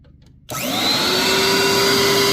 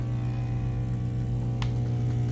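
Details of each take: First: Bissell SpotBot 1200-2 after reattaching pulled-off ground contact that caused no suction: motor spins up fast to a steady even high whine with no rattle or surging, then winds down smoothly; suction motor running healthy after repair. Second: Bissell SpotBot 1200 carpet cleaner: only a steady low hum with no rush of suction. Vacuum motor not running because its ground wire had slipped off its contact point.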